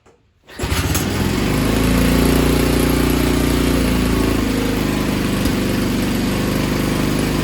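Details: Tecumseh H35 Sears mini bike engine after repairs and hooking throttle spring to the governor correctly: catches immediately and settles into a steady, even single-cylinder run with no misses or surging; healthy.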